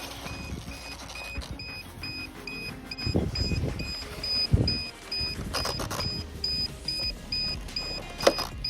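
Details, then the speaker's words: Traxxas Bandit on 72t spur/38t pinion taller gearing with Ovonic LiPo rated 110 A, after 2 or 3 speed runs, max 65.9 mph: shrill beep about twice a second over the motor, low-voltage alarm set at 3.5 V per cell on a sagging pack. "after 2 or 3 runs, the low voltage alarm's going off. And we didn't even pick up a mile an hour with this much taller gearing."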